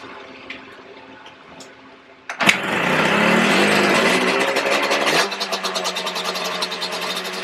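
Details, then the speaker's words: Yamaha Banshee 350cc two-stroke twin, rebuild project, first proper startup without choke after a spark fix: catches, revs hard, then drops to an uneven sputtering idle. Smoking from the front; owner suspects an exhaust leak, pipes not seated right. "something's a little off you guys I did see it was smoking from the front too so I know the height needs to set in a little bit they're not they're not where they're supposed to be at which might be um because it like technically has an exhaust leak so that might be why it's running a little weird too"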